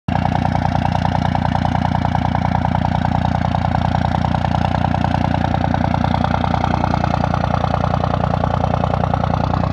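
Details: 2nd-gen Dodge Ram Cummins 24V with VP44 pump in 3-cylinder high idle: steady raised diesel idle with regular lumpy beat around 200 per minute; normal warm-up high idle.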